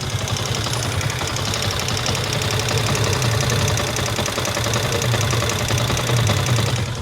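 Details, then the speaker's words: Motorcycle, 50,000 mileage, idles with a fast, steady tapping from the cylinder head; on opening, the roller rocker arm had free play and the camshaft was worn, both replaced. "Kau orang boleh dengar dia punya bunyi dekat bahagian head dia."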